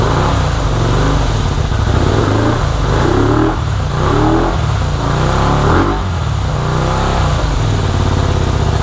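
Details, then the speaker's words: 1984 Honda VT250 V-twin first start, tank off and fuel dribbled down the carburetor: revs unevenly, stumbling and surging, running rough; owner suspects the choke is stuck on and plans to check the carbs. "all right well the bike runs not very well um albeit but it does run i believe the choke is stuck in the um on position or at least that's the way it feels"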